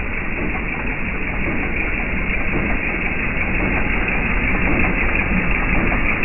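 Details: Jeep TJ Wrangler 4.0 I6: loud, rough idle with uneven knock under the engine noise, around three a second; engine knock at idle, source not yet pinned down.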